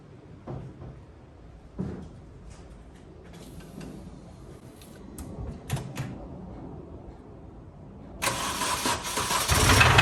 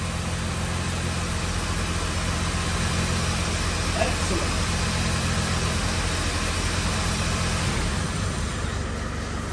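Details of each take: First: 2005 Mini Cooper S R52 convertible bought with a reported noisy engine, first start on jump leads with oil unchecked: clunks while cranking, then runs loud, harsh and clattery with a heavy knock. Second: 2005 Mini Cooper S R52 running after repair work: steady, even note for about ten seconds with no knocks or misses; can only run briefly because of water in the system.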